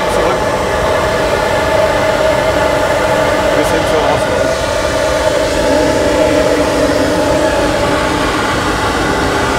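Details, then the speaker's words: Sport air filter intake pipe on a flowbench, pipe deliberately kinked: loud, steady rushing roar with a constant tone on top, louder from turbulence; airflow turbulence noise from kinked intake pipe. "also mein hört gleich wieder dass die lauter ist durch diese stimmen passieren einfach"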